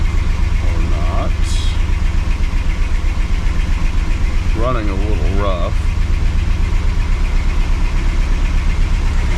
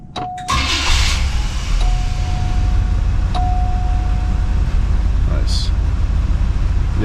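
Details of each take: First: 1980 Cadillac Coupe DeVille V8, first start after six months of Minnesota winter storage: low steady idle with a slightly uneven lope, about four pulses a second; running a little rough after sitting. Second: 1980 Cadillac Coupe DeVille, first start of the year after sitting six months through a Minnesota winter: cranks briefly, catches quickly and settles into a steady, even low idle with no knocks or stumbles; healthy start.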